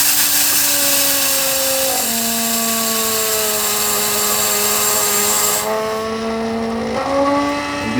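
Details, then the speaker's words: 2019 Leisure Travel Vans Unity FX RV being winterized: 150 psi shop air fed through a 55 psi regulator into the city water inlet to blow out the lines. A steady moaning tone that shifts pitch is just air passing through the regulator, which is normal. "you'll hear all that moaning agony is just the air passing through the regulator."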